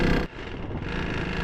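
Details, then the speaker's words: KTM RC 200 with a seized engine and a suspected low-oil-pressure problem, running after restart. A short burst of coarse, uneven low rumble sounds rough and dirty; internal damage is suspected and the bike is being taken for a check. "कम से कम आवाज बहुत गंदी हो रही है यार ह ये देखो सुन सकते हो आप कितनी गंदी आवाज आ रही है"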